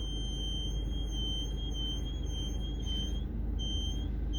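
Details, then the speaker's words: 1998–2002 Honda Accord 2.3, warmed up at idle: a thin, steady high whistle that changes with brake pedal pressure and stops if pressed very hard or lightly; mechanic identified a brake booster vacuum leak (owner had wondered about the brake switch). "all right so foot on the brake pedal after the car is warmed up it makes this funny sound and the sound changes depending on how hard i push the brake pedal and i can make it stop completely if i push the brake pedal too hard or not enough"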